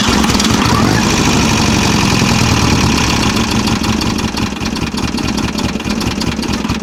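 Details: VW Type-3 Fastback air-cooled flat-four, reinstalled after retightening cylinder heads that rattled when cold, carbureted with recirculating fuel: fires up and settles into an even, steady putter with no rattle or tapping, normal running.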